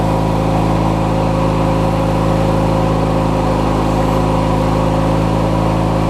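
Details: Craftsman LT1000 riding mower, opposed-twin engine (swapped in earlier), idling after refueling and restarting: steady, even low drone with a smooth firing beat and no knocks or misses. Normal, clean idle.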